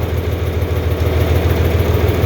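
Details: 4020 LP propane tractor idling warm on liquid propane fed through the coolant-heated converter. Steady, low, even idle with a smooth repeating thump and no knocks or misses. The engine runs healthy.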